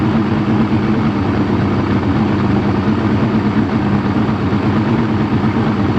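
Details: Two-stroke outboard after crank-no-fire diagnosis found a bad battery: steady, even burble at idle with no misses, knocks or hunting; idling smoothly and healthily.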